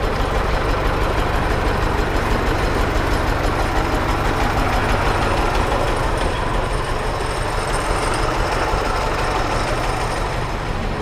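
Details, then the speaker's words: 1924 Citroën C3 Trèfle just after start: steady, regular, quiet idle with an even beat of roughly three per second and no stumbles; runs like clockwork, barely audible, healthy. "Ça tourne comme une horloge cette ça affaire. tourne bien, hein. On l'entend à peine, enfin, ouais, ça tourne bien."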